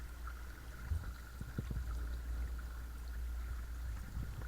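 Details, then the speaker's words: Watersnake T24 12V 24 lb-thrust trolling motor on DIY side mount in Lomo Omega 10ft sit-on-top kayak, 40Ah motorcycle lead-acid battery, first test on the water: thin motor whine over low droning rumble as the motor vibrates the hull. "So you can hear that that rubbing vibration noise is the kayak motor uh vibrating the hull."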